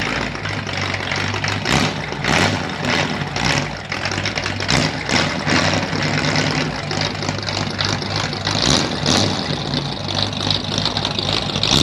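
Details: 1937 Ford taildragger with 59AB flathead V8, new ignition, dual exhaust, first drive in reverse on humid 80-degree day: steady, low, even idle, no misses or knocks, running smoothly.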